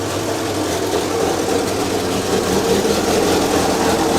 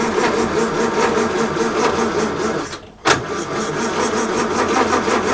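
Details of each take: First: 1932 Morris Minor four-cylinder sidevalve, first run in years, no coolant, little exhaust fitted: a steady idle with a slightly loose, uneven beat and a raw open exhaust; sounds all right. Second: 1932 Morris Minor four-cylinder sidevalve, unused for decades, 6V battery, choke on and off: steady cranking about three turns a second that never catches, a pause, then still dead; points later found giving a weak spark and cleaned.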